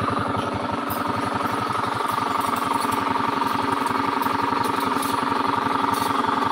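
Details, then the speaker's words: Honda Beat scooter idling with a fast, rough rattle riding on the idle beat from inside the engine, not the CVT belt drive or fan; worn crankshaft bearing. "baru fix mesin Tengah trouble suara dari dalam sini bermasalah Ini masalahnya di lahar setang trouble ada suaranya kayak gitu sebagian orang mengira ini CVT ya"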